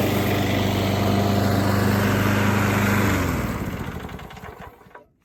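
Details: Free Craftsman lawnmower being refurbished, cosmetically worn, started up to hear it run: small single-cylinder holds a steady, even drone for three seconds then winds down cleanly on shutoff; engine sounds healthy.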